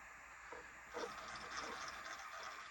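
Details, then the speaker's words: Axial Gilamon 1/8 trail buggy, all-metal-gear transmission, with new Hobbywing Fusion 8 brushless system and aluminium motor plate: quiet, smooth whir with light gear hum rising with throttle, no grinding. "pretty quiet I mean for a metal gear All Metal Gear transmission not too bad you can see how slow that motor moves"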